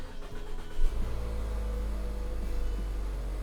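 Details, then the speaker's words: 2020 Mazda, about 4 years old, started after replacing a battery that leaked electrolyte from an unseated cell cap: quick crank catching into a smooth, steady low idle rumble; normal start after battery replacement. "All right, there we go. There we go, we got juice. We're back in business."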